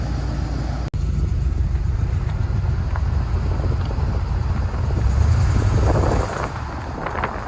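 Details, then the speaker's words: 1981 Chevrolet Corvette barn find, after 30 years sitting, driving after new spark plugs, filters and oil, radiator still needing replacement: deep, steady V8 rumble under way with wind on the mic, pulling evenly without misses or knocks; driving awesome, normal. "okay guys she's driving awesome this is something that can already check mark"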